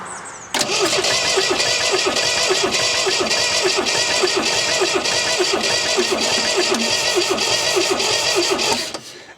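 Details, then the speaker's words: 1974 MGB GT that sat 29 years, cranking after oil was put down the cylinders. Uneven, lopsided cranking beat. Low compression suspected from sticking rings or valves. "i think it's compression personally i think the compression is down on it because it it wasn't sounding like that when we started"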